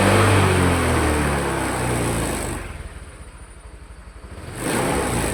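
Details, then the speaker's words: Honda Vario 150 after RVN Pro piston and connecting rod replacement and ECU reset: strong rev easing to a steady, even idle, then a clean blip back up; no knocking, engine sound normal. "Eh, gua ngik di rumah mesin suara aman ya."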